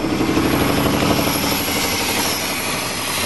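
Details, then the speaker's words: 1987 Chevrolet truck, just started with about 8 L fresh gas, cold, no air cleaner, noisy muffler; loud uneven lumpy idle with stumbling beat and engine shaking, definitely misfiring. "yeah it's definitely misfiring way that motor shaking big sucking challenges no air"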